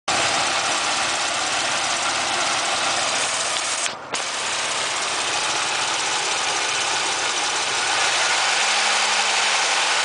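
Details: 3100 V6 in a Monte Carlo LS, cold start: rapid, fairly even tapping across the top end at idle, present for years and quieter but persisting when warm; piston slap or lifter tap suspected, unconfirmed.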